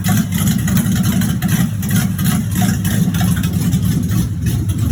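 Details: 1986 Chevrolet Monte Carlo SS V8 at idle, running about 3–4 minutes, with a heavy low idle and a loose, irregular knock under the rumble. Driven about three days with a bottom-end knock. Rod knock.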